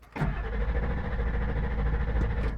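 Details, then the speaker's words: 1999 Ford F350 7.3L Power Stroke diesel cranking at about 200 rpm on a roughly 10° downhill slope; it turns over but never fires. It restarts right away on level ground, and the owner suspects the problem is angle-related. The truck also stalls at idle. "now I'll try to start it we're probably at about a 10 maybe 15° downhill probably closer to 10 nothing you can see that the tack is starting to to go about 200 RPM"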